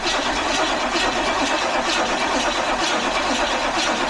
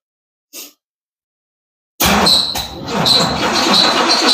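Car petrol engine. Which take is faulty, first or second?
second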